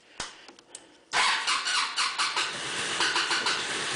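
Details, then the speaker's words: Cold morning start on an MC54-250B scooter with Yamaha clone engine: a few clicks, then repeated cranking bursts that never catch; engine appears not to be getting enough fuel, vacuum fuel pump to be replaced with electric pump. Problem since first day. "it's not getting enough fuels what it appears to be and so what we're going to end up doing here is replacing the vacuum fuel pump"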